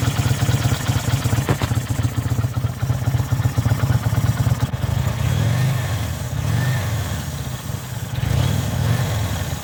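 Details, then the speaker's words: Kawasaki VN800 V-twin chopper, in a build to fix a big engine knock (rotor removed), gives a steady low thump with even firing pulses and no knock; the bottom end sounds healthy, with normal running. "hopefully it'll start without any noises or uh stuff like that so then no more knocking noise I say that's the win"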